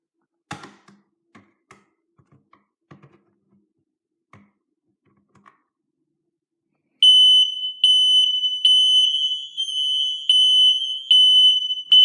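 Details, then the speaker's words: Kidde ionization smoke alarm, possibly model 1275, thought to be over 15 years old, tested with power off: a few quiet clicks then a shrill alarm pulsing about once a second; interconnected alarms sounding, wiring correct. "we could also verify that the interconnection and wires are correctly wired because we also hear the smoke alarm sounding"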